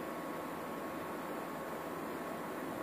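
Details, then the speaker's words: APC Back-UPS Pro 1000 on battery power after AC supply switched off: soft, steady hiss with no rhythm or pitch change, louder than an older unit of the same model; also fails to sense AC return, cause not determined. "ok now I will show you what it does after putting off the AC supply off here and you can hear the hissing from and it has taken battery backup"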